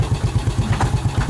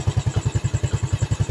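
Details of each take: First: Yamaha Vega ZR single-cylinder after piston and camshaft rebuild: steady idle with dull regular knock per beat from the clutch housing side; suspected worn clutch housing rubbers. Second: Yamaha Vega ZR single-cylinder after rebuild (one valve guide replaced, piston and camshaft modified), test start at idle: the earlier smoking and slight ticking are gone; even low thump around ten beats a second with no ticking or rattle, a healthy idle.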